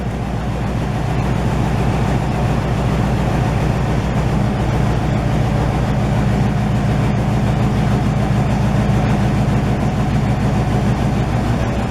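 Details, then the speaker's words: 1968 GMC truck, first start in 20 years after buildup: deep, even, loud V8 rumble with steady low beat, no knocks or misses; runs healthy, minor leaking, just a loud exhaust. "Here comes the sound. Sounds good. That smells amazing. Like, That's the smell of America. Not very subtle, is it? no."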